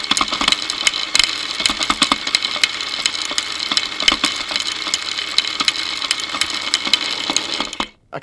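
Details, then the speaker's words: Motorcycle drive chain running unlubricated with wheel spinning, via a homemade electronic stethoscope microphone: dry irregular ticking and snatching. Owner suspects wrong tension, dirt causing grabbing and jumping, or a worn front sprocket; cause unconfirmed. "possible my Chain's not at the right tension it's possible that it's a little dirty and it's grabbing and jumping it's even possible that my sprocket on the front needs replacing"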